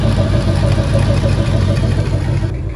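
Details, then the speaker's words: 1996 Bayliner 2050 SS with 305 Chevy V8, first run after sitting 14 years: steady rough idle with light fast tick over it; valve train ticking, likely loose rocker nuts. "You can hear it running and all, and then we're gonna pull this valve cover and see what that ticking noise is."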